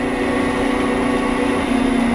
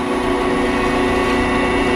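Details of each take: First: Delta 14-inch band saw measured with a dial indicator: a steady motor drone whose tone wavers and slides lower as the motor frequency and saw speed are reduced; vibration turns erratic while slowing and its amplitude changes with frequency. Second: Delta 14-inch band saw after vibration measured with dial indicator: steady even motor hum with constant tone and no thumps or wobble; running smooth and quiet.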